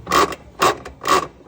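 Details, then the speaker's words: Top-load washing machine during washing: repeated harsh mechanical grinding bursts from a worn transmission; the shaft has play and the pulley is loose on its nut. "sinal que a mecânica da sua máquina já não está tão boa certo"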